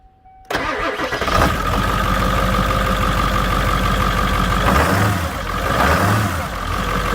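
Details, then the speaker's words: 1997 Ford 7.3 Powerstroke turbo diesel truck, 289,000 miles: cranks, catches, then loud rough rapid injector clatter at idle, loud for years; owner attributes it to old oil trapped in the injector oil reservoir. "dude it's getting it's really loud it's been that way for years but that's that's because i didn't know this trick"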